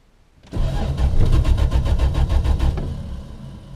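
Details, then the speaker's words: 1974 Valiant, cold start after months of sitting and freezing weather: a steady starter churn at about 3.5 turns a second for over two seconds without catching; a hard cold start, and the owner suspects fuel starvation. "even when this thing sat for two years outside the studio there when i had it up on the jack stands it started way quicker than that"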